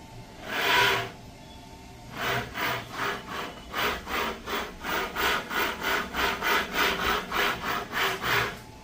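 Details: Volvo S90 electric power steering rack with a harsh, rasping grind in quick rhythmic strokes, like sawing. Grinding steering rack, said to be possibly repairable.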